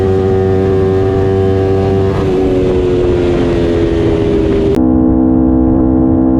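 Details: Aprilia RSV4 V4 after new spark plugs and a valve check: steady drone with a slightly uneven beat and a pitch dip mid-clip; owner suspects a misfire.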